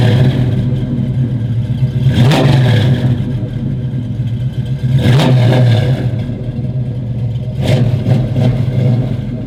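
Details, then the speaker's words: 1969 Camaro V8 with headers, heard from the rear, given a little gas: three throttle blips, deep rumble rising and falling cleanly, no clatter or misfire; normal revving, healthy engine and exhaust. "I'm gonna go ahead and give it a little gas, a little acceleration. You guys can hear it in the back."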